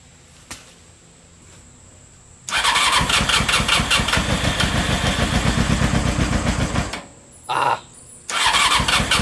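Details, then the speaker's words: Old Honda CBR600 engine in reverse trike, unrun for over two years, choke on, carburetors not yet cleaned: cranks, catches and runs rough for about four seconds then dies; spark and fuel pump work, owner suspects dirty carburetors. "this thing's not completely dead haha so this thing does show signs of life which is awesome"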